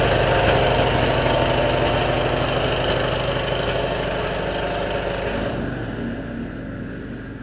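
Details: 2003 Stanley 46-inch Murray garden tractor, model 461008x692A, Briggs & Stratton engine with new carburetor, air filter and battery: a small single cylinder chugs steadily at about three even beats per second, then eases slightly. Normal running.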